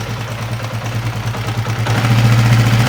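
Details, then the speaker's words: Honda CB150R motorcycle at idle: fast, uneven, harsh rattle over a low thump, roughly four beats a second. The rough, clattery noise seems to come from the upper left of the engine; cause not confirmed. "Oke teman-teman sudah mendengarkan suara kasar yang ada pada motor CB ini. Motor ini suaranya sangat terdengar kasar, kemerosok pada bagian mesinnya, tetapi sepertinya masih di bagian mesin kiri ya teman-teman ya, di bagian atas ya."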